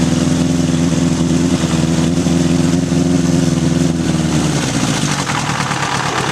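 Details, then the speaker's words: 1981 Honda CB750 K1 on a test ride, partly ridden with the choke on: the engine stumbles, surges and bogs instead of pulling. Owner suspects vacuum leaks and carbs out of sync. "all right just things barely unrideable half that time I was riding with the choke on and it's bog and it's stuttering it's just not running right so I'm guessing there's some vacuum leaks"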